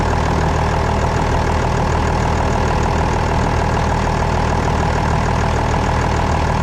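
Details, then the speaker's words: Old loader with about 28,000 hours, diesel idling with firm low beat but hydraulics dead: hydraulic fluid leaked out, suspected from one of two hoses; rear main seal also leaking slightly. "It spit out so much fluid, it doesn't have any fluid to spit out. So I guess I gotta put some more in it and see where the leak's coming from."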